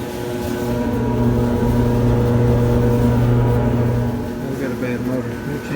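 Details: Older Whirlpool dryer with a failing drive motor; it is loud at start or stop and only hums when restarted hot. A loud, deep, steady hum for about four seconds, then it eases off with some rattling. Fix is replacing the motor.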